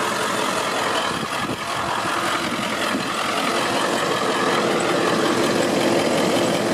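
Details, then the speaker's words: 2001 Ford F550 XLT crew cab 4x4 tow truck, 7.3 diesel, manual transmission, just started: loud even diesel clatter holding steady at idle, no knocks, misses or hunting; normal diesel idle. "Alright, so we're going to go ahead and get it started now. You can hear it."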